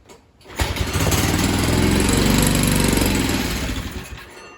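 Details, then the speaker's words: Tecumseh H35 mini bike engine, pull-started after rebuild: small single fires, then revs climb and sag without settling; surging because the governor linkage and throttle spring were hooked up in the wrong place. "Is that the throttle? Oh, that's the governor, which I forgot to hook up."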